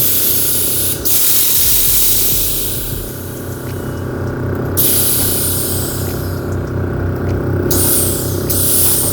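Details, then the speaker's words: Bagged Toyota Yaris air suspension: steady hiss of escaping air over a background hum as one rear side lowers by itself while the other stays up; valve block sticking open intermittently, bleeding the bag. "see how it's going down on its own the other side is still up then sometimes like now it locks but other times it doesn't and then you try and go up and then it doesn't sit left like this now it's just falling"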